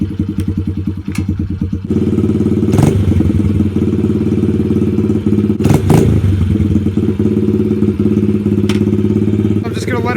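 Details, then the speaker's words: 2003 Honda XR70 pit bike warming up after kick start, with new supermoto tires fitted: small single thumps at a steady, even idle, firing cleanly with no misses, knocks or rattles. Normal idle. "just gonna let it warm up a little bit. It's running really good, as always."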